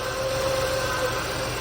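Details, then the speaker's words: Chevy Lumina Euro 3.1 V6, started by jump after sitting about ten years: thin steady whine over the idle rumble, water pump or alternator pulley first suspected, most likely the power steering pump low on fluid. "Definitely hear some pulley. I don't know if it's the water pump or the alternator. You hear that whining? Might be the power steering, actually."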